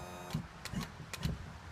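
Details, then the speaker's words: 1993 90hp Johnson outboard just swapped onto boat, power tilt run down and back up before first start: low electric whir with a few light clicks; tilt motor works normally. "Yeah, she goes down and goes up."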